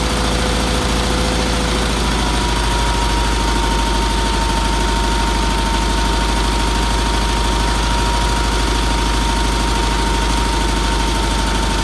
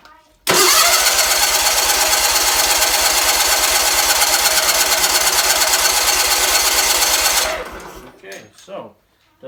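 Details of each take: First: Red Roper with a BFM twin-cylinder engine, idling after first start following fuel filter, fuel line and pulse line work and some tuning. The idle is steady and even with no knocks or misses and a faint background tone. It runs healthy. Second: Red Roper with a BFM twin-cylinder engine, cranked steadily for about seven seconds after new fuel filter and fuel line work. It never catches. The owner suspects too little fuel reaching the carburetor, possibly from a weak fuel pump.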